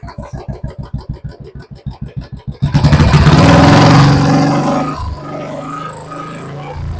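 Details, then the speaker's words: Royal Enfield BS4 engine with hydraulic tappets, checked for tappet noise after topping up oil before an oil change: even, steady single-cylinder thump with no tappet tick, picks up and settles; normal sound. "[സംഗീതം] normal sound ആയി"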